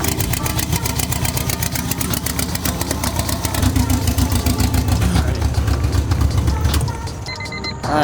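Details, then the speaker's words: Turbo B-series GSR Honda Civic EK hatch on first start, cam timing checked OK and fuel pressure lowered from about 80 psi: fast, loud, lumpy idle with stumbling pulses, not firing on cylinders 3 and 4; a faulty ECU is suspected. "so it's not firing on cylinder 3 and four I'm about to go get this new light from Glen really quick and test that see if it flickers or anything if it doesn't then I think it might be this ECU"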